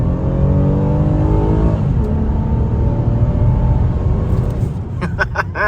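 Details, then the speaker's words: Toyota Camry V6 driven home from the dealer after the engine repair. It pulls cleanly through the revs with an even rising note and no knocks or misses, and sounds healthy: normal acceleration. "nothing quite matches the amazing engine that's in this car"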